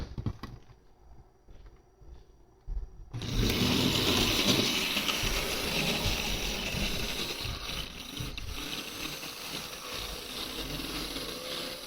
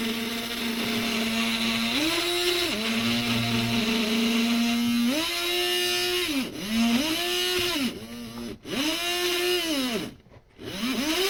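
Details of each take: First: HO-scale model monorail running at reduced power rather than full power: small motor whirr with light even ticking a few times a second; runs smoothly at low speed except on one suspected dirty track section. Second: HO-scale model monorail, very stiff, attempting a full circuit: small electric whine repeatedly sags and recovers in pitch every few seconds as it labours round the track; motor straining, later shuts off.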